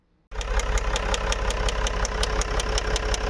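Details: Range Rover 3.0 diesel, cold engine not yet warmed up, heavy blow-by when the oil cap is opened, no check-engine light: sharp knock about three a second at idle after start-up; mechanic suspects piston knock, unconfirmed.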